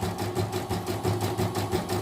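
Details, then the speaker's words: Repaired embroidery machine with new dynamo motor, test stitching before software reinstall: quick even rhythm about eight beats a second, quiet, no stuttering; running neatly and smoothly. "kalau untuk dari segi jalannya sudah rapi kan suaranya jug sudah kalem ini juga enggak tersendat-sendat ya"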